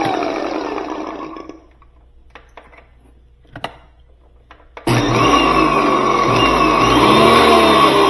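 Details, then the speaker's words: Stanley 2000 max PSI electric pressure washer that wouldn't start, tested with ground fault (GFI) plug taken off: motor snaps on to steady even whirring hum, no surging; runs normally, GFI plug at fault. "so we took that ground fault plug off and we're going to just check this and see if it works there it is it worked"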